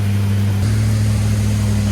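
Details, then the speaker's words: Big-block Chevy with flat tappet cam, run after lifter failure with a worn lobe, at least 35 minutes in, oil warm, filter at 214, coolant about 165, good oil pressure: steady even V8 idle, no valvetrain tapping; exhaust leak audible. "Got good oil pressure still. We got no valve train noise. We're at least 35 minutes in now."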